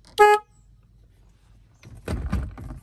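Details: 2003 Malibu Sunsetter boat, sat over a year, electrical check after fuse trouble: one clean steady horn blast about a quarter second, clear tone without rasp; horn works normally.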